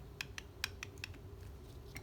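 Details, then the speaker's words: Mercedes 190SL Solex carburetor being evaluated: throttle shaft rocked by hand gives sharp, dry, uneven clicks about three a second, typical wear on both barrels; worn throttle shaft with play, rebuild needed. "now let's check our throttle typical wear yep same with the uh second Barrel you can hear the clicking"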